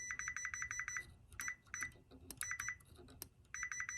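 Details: Chevrolet Tahoe with a P0300 multiple-cylinder misfire code, checking the ground pin with a multimeter on continuity: short bursts of sharp, high, steady beeps, several quick pulses at a time, so the ground pin is good.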